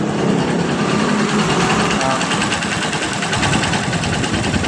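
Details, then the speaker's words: Supremo single-cylinder motorcycle after reinstalling missing O-ring and setting valve clearance (0.12 and 0.10 mm): steady, even idle with soft regular patter and no loud tapping or knock; normal idle. "Ito yung normal na tunog ng hand supremo. Okay, start natin ha. Oh yan. Maingay pa ba?"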